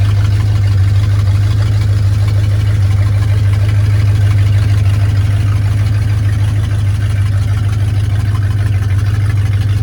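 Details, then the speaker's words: 1968 Ford Torino, back from its first test drive after 20 years sitting in a barn, warmed up in 113° heat index: steady, even idle with a deep smooth drone sitting a touch fast; owner says it idles a little high and the carburetor needs adjusting. "Sounds like it's idling a little high. I need to adjust the carburetor."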